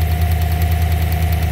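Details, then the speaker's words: Chevrolet Silverado 5.3 V8 with check engine light and tapping complaint: even idle with a sharp light tapping in time with the engine and slight misfire; a spark plug wire had fallen out of the ignition coil and is arcing, not lifters or exhaust. "got a slight misfire too he said it was running fine just had to check engine light see that coil wire is hanging out"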